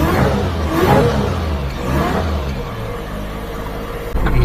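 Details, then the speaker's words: Mini truck with belt-driven blower on a lawnmower belt, new 6-inch crank pulley, test drive: engine pulls hard with a faint blower whine rising with revs at about 9 psi boost; normal supercharger whine. "the blower whine a little better. Yeah, that's better. About 9 pounds."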